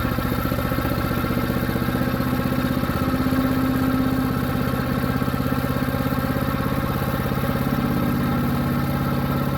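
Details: New Harbor Freight Predator 212 chipper shredder engine, previously only ran on choke, after fix: steady low idle, even firing about three per second, no hunting or stumbling; runs smoothly off choke.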